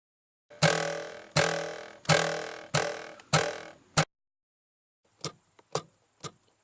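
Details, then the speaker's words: Ford Shelby GT350 (S550 Mustang) dash module after sound-mat and window-weld rattle fix: five hard thumps each die away cleanly with no extended resonance buzz; module now quiet and rattle-free. "that's it you don't hear that that extended resonance buzz and I'm hitting this thing hard"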